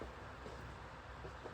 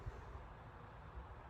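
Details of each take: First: 2000 Holmes HASF-1301 pedestal fan gives a light, repeating high squeak over the steady fan rush as it oscillates; owner thinks it may need oil. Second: Holmes HASF-1301 12-inch pedestal fan from November 2000, about 25 years old, on medium speed; low soft even whoosh with a steady hum and no ticks or rattles; runs quietly and healthily.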